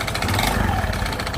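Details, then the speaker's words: Honda Beat FI scooter whose engine runs rough and smokes from the exhaust, burning oil; top-end teardown needed: idles roughly with an uneven clattery beat, blipped lightly. "beginilah suara mesin motor Beat ini kasar apaba dihidupkan ya dan juga yang kedua itu keluar asap di galpotnya berarti motor ini makan oli ya"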